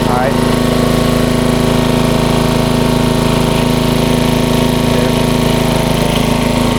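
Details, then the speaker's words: 1994 Troy-Bilt 34044 33-inch mulching walk-behind mower with Briggs & Stratton engine: a steady, busy throttle with a regular clatter because the twin blades are out of time, likely after a blade change, and clip each other. "all right those blades obviously are not correct they hit each other on the way around so that's probably why they put it to the curb"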